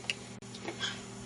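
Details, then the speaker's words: FrSky Futaba 2.4GHz module in transmitter powered by a 3-cell LiPo through two diodes, entering binding mode: faint irregular ticks over low hum as the meter needle bounces so hard it taps. "See the needle fluctuating, bouncing. In fact, it's bouncing so hard you can hear it tapping."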